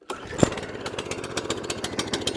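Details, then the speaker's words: Atco Balmoral 14SK mower with Kawasaki FJ100D engine, after full carburetor clean and fuel tap rebuild for will-only-run-on-choke fault: cold start on full choke, catches first pull into a quick, fairly even putter, no misses. "Start it up time. Turn it on. Full choke. It should start first pull cuz they normally do"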